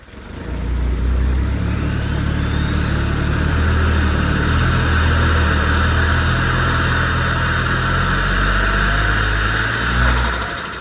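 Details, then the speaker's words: RB30 turbo engine freshly installed in a Holden VL, first start with distributor timing being adjusted: holds a steady idle but revs climb lazily and flatten out. No vacuum leaks; ignition timing suspected to be off. "Just not revving at the moment. I think what we're going to do is we're going to, we've been playing around with some timing on the distributor."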